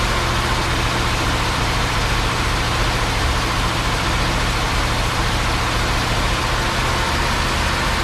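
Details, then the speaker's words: 1957 Chevy Bel Air 327 V8 field find, freshly fired with idle raised: deep, uneven, loping idle with no steady rhythm; owner suspects a vacuum leak at the carb or a line, but it runs on its own. "seems like there's a bit of a vacuum leak somewhere, so could be the carb, could be something like that, or it could be a line or whatever it may be, but it runs on its own."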